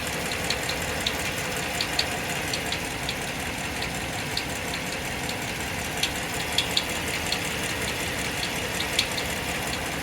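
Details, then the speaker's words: 2015 Dodge Ram 1500 idling: sharp high chirps about twice a second over the steady run; the chirp source is still unconfirmed after three shop visits. "This is a 2015 Dodge Ram 1500. Complaint is the chirping noise. Take a listen."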